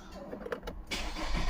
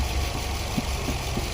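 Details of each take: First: 2019 Nissan Pathfinder 3.5L with code P0101 (MAF range/performance), warm, in gear: engine settles into unstable loping idle that swells and sags; MAF reads about 3.5 g/s, suspected too low; stalls and ran worse cold. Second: 2019 Nissan Pathfinder 3.5L V6 idling and warming up, fuel trims near balanced at about 4-5%; even settled idle, soft steady hum, no stumbles or surging; normal idle.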